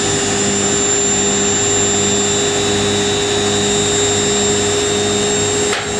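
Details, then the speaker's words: Indesit IWC71452 washing machine spin ramping up from 800 rpm: high, steady motor whine with an even drum hum, no knocking or grinding; healthy fast spin. "It sounds like it does the same as the washer in my plant does."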